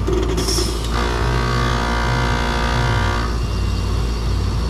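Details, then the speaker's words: Trane heat pump, unit with new compressor used for comparison: heavy steady compressor hum, then a clean two-second hissing whoosh as refrigerant swaps over; a healthy reversing valve shift. "that's a new compressor just for comparison this is the other one and this is what it's supposed to sound like when it shifts"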